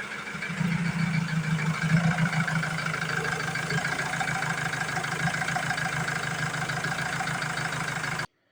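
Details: 2007 Ford Transit Mk7 2.2 TDCi that stalled right after starting, after fuel system bled itself: diesel settles into fairly steady idle with low clatter, no stumble or stall; problem later returned, cause unclear.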